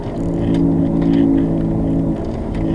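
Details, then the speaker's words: 2007 Subaru Legacy, wheel bearings replaced about a year earlier; steady droning hum while driving that changes when the wheel is jerked left, indicating the inner half of a worn wheel bearing. "now notice how it changes when we jerk the wheel to the left. So that tells me that's the inner half of your wheel bearing."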